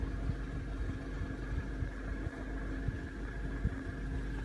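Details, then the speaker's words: 2014 Honda Civic LXS 1.8, 56,000 km: even idle with a thin steady whine when the AC and cooling fan engage; dealer said AC belt and pulley tensioner need replacing, cause not confirmed. "é o barulho que faz quando liga o ar-condicionado."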